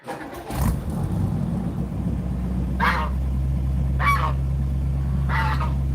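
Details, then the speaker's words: Carburetted car, cold start. Short crank, catches at once and settles into a steady, even low idle, faint honking geese in background. Usually starts easily, though after sitting it needs the pedal pumped to prime the carburettor. Normal start. "Look at that, starts right up. It's almost like it could have a remote start. It has no problem starting most of the time."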